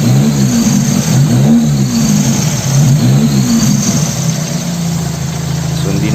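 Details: Toyota Corolla 2E engine after replacing the distributor condenser to cure a misfire: smooth, steady idle with an even beat and no stumbles or misses; engine now running clean.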